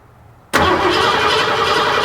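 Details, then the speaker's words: 1986 Ford F-150 5.0L, 39 years old, cranks but won't start: starter spins the engine steadily without firing while the fuel rail Schrader valve is pressed; no fuel comes out, so the fault is no fuel pressure. "all right that's good so there's no fuel pressure so our issue is no fuel pressure"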